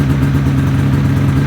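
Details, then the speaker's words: 2005 Ski-Doo MX-Z Renegade 600 H.O. SDI two-stroke, started after an overnight cold soak, following a fuel pump, pressure regulator and strainer replacement for a long-standing hard-start problem. Steady, even warm-up idle with a smooth low drone, no misses or rattles; normal. "I'm kind of curious how long before this would kick down here we pause the video for a little bit"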